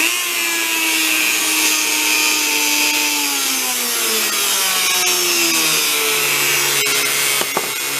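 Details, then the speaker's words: Dremel rotary tool after regreasing, previously binding, run at low speed: smooth high whine, pitch easing down steadily as it slows, no grinding or catching; runs normally, better than new. "now before you couldn't run this thought was gone it was binding"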